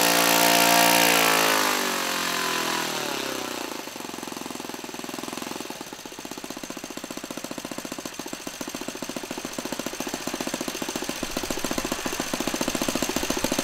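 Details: Laser 100 single-cylinder RC model engine, first run after 15 years without cleaning: high buzz slowing to an uneven low run with sharp metallic clanks about three a second. The front housing came loose; after rebolting it still clanked and knocked.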